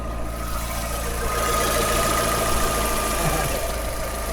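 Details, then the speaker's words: Fiat 500 idling after fitting a new exhaust: a thin steady whine over an uneven low rumble; owners place it at the front, perhaps the manifold, source unsure. "It's not the back. It's from the front somewhere, isn't it? It's from the um from the actual manifold."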